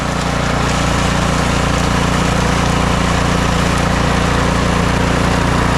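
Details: Snow blower small engine started after replacing worn, stretched auger belt and drive belt, bottom engine cover still off: smooth, even, steady running with no knocks or slipping noises; working properly.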